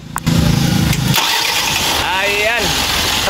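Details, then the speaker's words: Mitsubishi Canter 4M50 diesel after two injectors (cylinders 1 and 3) were fixed, restarted: cranks under a second, catches at once and idles steadily, no more hard starting; engine still reported short of power. "palong balik Ayan okay Ayan tatlong beses na yon Wala na siyang kati-kati Okay na"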